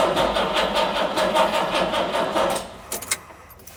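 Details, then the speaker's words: 1968 Jaguar E-type Series 1½ after winter storage, old original starter cranking slowly despite a new battery, starting fluid sprayed into the open carb butterflies: slow, laboured cranking that never catches. Stuck carb parts point to fuel starvation; owner also wonders about spark. "I think we might have to check if we have spark."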